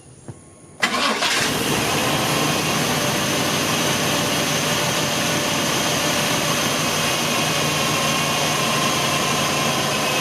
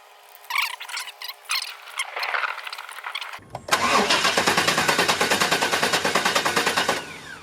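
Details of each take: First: Chevy 350 Vortec Suburban, sat for years, after a brand new ignition and fuel system: one crank and fires straight away, settling into a smooth even idle with no stumble; starting fixed. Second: Chevy 350 Vortec Suburban, sat for years, fuel system replaced, new coil fitted: even cranking about three compression beats a second, never fires; still no start.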